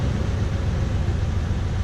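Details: Toyota Tundra V8 with new TRD dual exhaust, heard from behind the truck: deep, steady rumble with no rattles or ticks; normal, healthy exhaust note.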